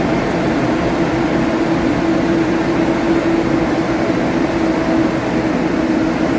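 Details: Nissan after fan clutch and belt replacement (fan previously ran constantly): steady, even whoosh with faint constant hum, no roaring or surging; engine and fan sound normal.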